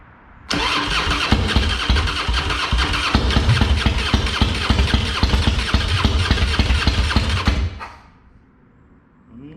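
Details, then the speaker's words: Harley-Davidson Fatboy with Screaming Eagle kit (new heads, ignition, pipe), sitting two years with dead battery and plugged carb: loud, uneven chugging crank about seven seconds that tries to catch but never runs; no-start, and a fuel leak appears. "not sure why it's not wanting to to go we get a fuel leak that's not good"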